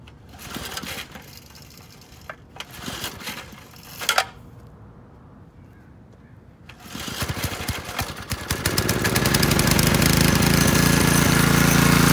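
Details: McLean 3.5hp Briggs and Stratton edger, sat for years, after carburetor tuneup and fresh oil: a few pulls and sputters, then catches and runs steady and even under cutting load; runs well, cuts a nice line.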